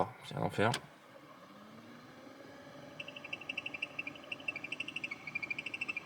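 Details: BMW E30 ventilation blower running: a rhythmic high chirp repeats several times a second over a quiet fan hum.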